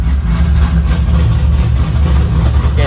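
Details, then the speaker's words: LS V8-swapped Nissan 350Z, first start-up before first drive, fuel map being tuned: deep, even V8 idle with steady low rumble and no knocks or misses; engine running healthy, normal idle. "other than that man she [ __ ] runs and it sounds [ __ ] sweet"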